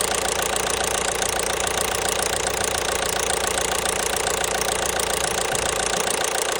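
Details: 1.5 BlueHDi (DV5RC) diesel at idle with a steady tapping knock about three to four per second standing out over the usual clatter; engine knock.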